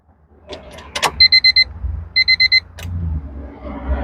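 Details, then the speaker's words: Key-on of Honda Civic after sitting about two weeks, new main relay fitted: relay clicks and chime beeps but no fuel pump hum or prime, then engine cranks and starts first try; main relay suspected as fix. "I heard it click it did not hear the fuel pump kick"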